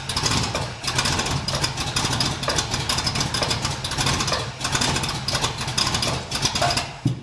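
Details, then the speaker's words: 1981 Cutlass Supreme small-block Chevy V8 with Vortec-style heads, cold, after the spark plug swap with the distributor accidentally moved: a lumpy, uneven idle with irregular dropouts between firing pulses. One cylinder is misfiring from a spark plug wire not fully seated. "I'm going to try and fire it up again, because one of the spark plug wires was not completely on. Whoops."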